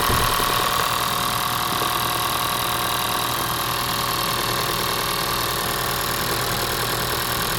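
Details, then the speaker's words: 2014 Honda Vezel petrol engine idling with uneven, lumpy beat; code P0303 cylinder 3 misfire, with injector and plug being checked; cylinder 3 getting almost no fuel. "Code दे रही है P3 P0303 cylinder three miss miss fire three cylinder दे रही है"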